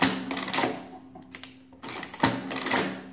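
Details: Wales adding machine after cleanup and repairs: two clattering cycles of gears and print hammers, about a second each, smooth with no binding; working properly though needing a new ribbon.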